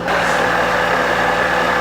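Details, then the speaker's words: Restored abandoned milling machine electric motor running: steady whir with faint high whine over low hum; mild noise from one or more motor bearings, head nearly silent. "I don't know if you guys can hear that noise is just a bearing or a couple of bearings in the motor the motor is what makes all the noise up in here"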